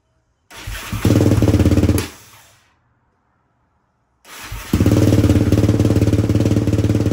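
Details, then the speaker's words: 2004 Yamaha Raptor 660 dual-carb, Pro Design intake, K&N filter, full Yoshimura exhaust, fresh fuel after sitting, choke off: single fires, thumps briefly then dies; restarts and runs steady. "happens shutting right off let's try with a little bit of Choke maybe it's got still got to be chok"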